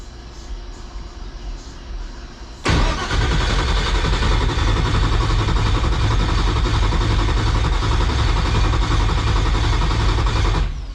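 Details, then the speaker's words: 2000 HP Ford Mod motor race car on first start after repairs: steady starter churn for about eight seconds with no catch. It cranks but won't start because there is no fuel pressure; it was out of fuel. "It's got no fuel pressure. Guys, she was out of fuel. That's why she wasn't starting."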